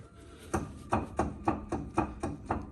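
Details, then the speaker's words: Ford Transit tipper jacked up on axle stands, customer reports terrible noise: sharp regular clunks about every half second as the wheel is rocked; wheel moves on hub while disc stays still, wheel nuts all found loose. "If I get hold of the disc on the back, the disc doesn't move, but the wheel does. So that's moving round on the hub and the disc. The disc is still."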